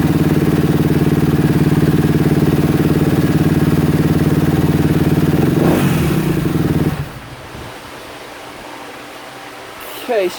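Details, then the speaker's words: 2016 Kawasaki KX250F that wouldn't run (new fuel pump, plug, wiring harness, stator, CDI fitted): fast, even popping idle with a light rattly tick on top until it cuts; top end suspected worn, possibly why idle won't come down. "sounds a little Ticky uh a little rattly I'm going to I'm going to check the valves"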